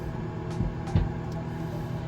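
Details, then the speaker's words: Panasonic NN-SG656W microwave turntable motor making a grinding noise with a low steady hum and rough scraping bursts; owner suspects the motor under the tray is breaking down or a gear is broken, and plans to replace the motor. "And the turntable motor that turns the tray on this microwave is starting to make noise. You'll hear it here. A grinding noise. That grinding noise. So, that motor underneath is starting to uh break down or there's a gear broken or something making a lot of noise."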